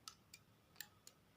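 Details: Motorcycle turn-signal flasher relay after repair: crisp, sharp ticks at a steady flasher pace, nothing else in background; relay clicking normally.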